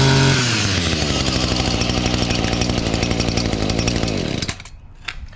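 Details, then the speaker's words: Echo SRM-230 trimmer, two-stroke, with a new carburetor and cleanup, primer bulb barely filling: fires easily, holds a steady, even high rev for about four seconds, then shuts off cleanly. Normal running. "There you go. That thing fired up."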